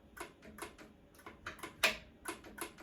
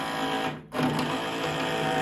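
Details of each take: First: Ariens 1336 Pro snowblower electric chute motor not turning; faint light ticks every fraction of a second with no running hum; motor stuck, found corroded with worn brushes, before test-light check of power and ground. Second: Ariens 1336 Pro snowblower electric chute motor after cost-free teardown repair; steady, even whir with one brief dip and quick recovery, no grinding or chatter; sounds healthy, chute motor working.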